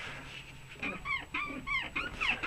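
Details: Lada Niva suspension squeaking from the rear; rubbery squeals rise and fall about twice a second as the body rocks, caused by worn rear trailing link bushings.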